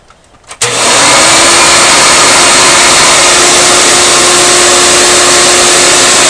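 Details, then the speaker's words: Rebuilt Hoover Elite vacuum motor with brand-new bearings, fitted in a Futura, after about 10 minutes' running: spins up in under a second to a smooth, constant high whine, no rattle or grinding; healthy motor. "I had the thing running for 10 minutes, seems to sound fine to me. Don't know why it would sound bad anyway, got brand new bearings in it."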